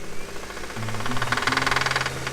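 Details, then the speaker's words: Daily driver engine, block sweating oil, loud quick even knock over a steady idle; owner considers the engine finished, cause not confirmed. "pretty loud so it's GG for this engine so we're gonna have to get a new car or a new engine"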